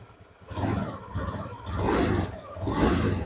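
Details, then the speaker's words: Honda Beat Pop scooter after repair of a harsh rattling CVT, cover bolted back on: three smooth revs, each rising and falling cleanly with no rattle or clatter. The belt drive is now nearly silent and like new. "Halus seperti baru lagi, temanku. Hampir tidak terdengar, ya."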